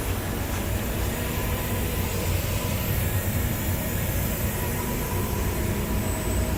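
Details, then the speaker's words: 30-ton refrigeration compressor, unit off, suction side not fully isolated: steady low rushing hiss, faint rumble, no knocking; gas bypassing leaking discharge valves, compressor continuously pumps down. "You can hear the gas bypassing the discus valves."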